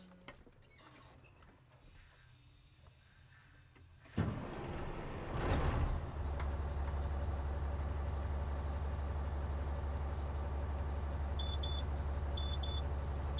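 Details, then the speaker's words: Truck pre-trip air brake test, spring brakes released, brake pedal pumped until pressure drops toward 60 psi; diesel starts and idles steadily, then short high-pitched beep bursts: low air pressure warning buzzer sounding, warning light already on. "so before it drops to sixty psi we're gonna see the warning light if you want to hear the sound the buzzer we need to start the engine so let's start the engine"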